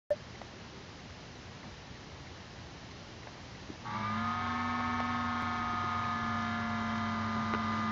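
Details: Dell Vostro 3555 laptop with AMD A8-3500M: after a soft hiss, the CPU fan spins up under high CPU temperature to a loud, steady whine with high tones; cleaning out dust did not change it.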